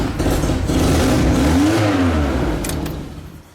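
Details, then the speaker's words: Classic Mini 1100 Special, accident-damaged, engine running (about 160 psi compression on cylinder 1): small engine revs and falls with rhythmic chuffing rasp; exhaust blowing at the back where the hit subframe pushed the engine back and crushed the downpipe. "It's actually crushed at the back where the subframe has been hit. It's pushed the engine back and it's crushed the downpipe. That's what's making the noise."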